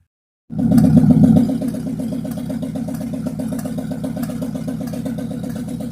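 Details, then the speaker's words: Abandoned 1957 GMC truck on its first start in 40 years, following an oil pump fix and new oil pan gaskets. Heard from a distance, it settles into a steady, even idle of about four beats a second with no knocks or misses. It is smoking but sounds healthy. "guys i'm uh of course it's the next day i'm back out on the truck um i'm kind of standing a ways from it i don't know if you can hear me or not over the engine noise"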